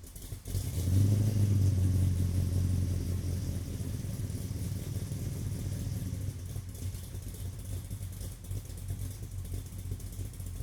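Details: Car exhaust recorded from about 40 feet behind on a tripod after a vacuum leak was fixed: a brief rev, then a smooth, even run with no hiss or stumble; sounds healthy.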